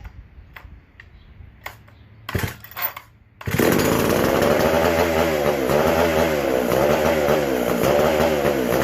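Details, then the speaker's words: McCulloch SP125 chainsaw: pull-cord tugs, then high revving whine hunting about four times a second, lean and fuel-starved; carb not drawing fuel or pulsating, gas cap sealed off with venting in doubt; a large carb-to-intake gap was later found. "Not wanting to pull fuel. It's not pulsating."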